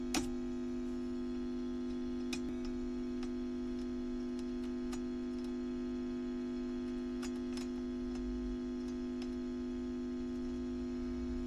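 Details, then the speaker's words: WEM Westminster MK9 10-watt push-pull valve guitar amp, ECL82 outputs, about 309 V plate to ground, during restoration: steady mains hum with irregular sharp crackles; owner guesses at a cause, filament wires poor, unconfirmed. "yes so I think that's what's causing that I'm guessing although the filament wires leave a lot to be desired"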